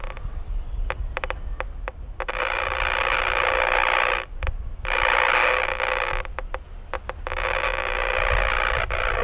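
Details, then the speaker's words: Power line noise heard on an RFI locating receiver tuned to 148 MHz with a 2 m beam antenna, the same signature as at 7 MHz at the house: a harsh buzzing hiss cutting in and out in bursts over a low hum. Arcing on the line. "we're going to be looking for the same signature that we saw back at the house at 7 MHz as we are at 2 m with this antenna"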